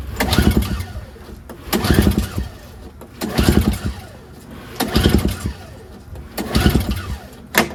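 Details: NOMA 21-inch single-stage snowblower, 4.5 2-stroke, electric start failed so recoil-pulled: five slow pulls about every 1.6 s, engine spins without firing; fuel starvation, varnished carburetor.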